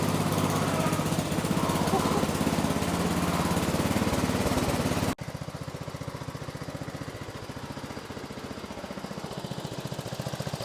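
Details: 1970s Massey Ferguson MF-12 garden tractor, Tecumseh 12 hp single-cylinder, running after the cracked head was replaced: uneven, hunting chug about three beats a second, struggling to settle at idle; owner suspects the carb.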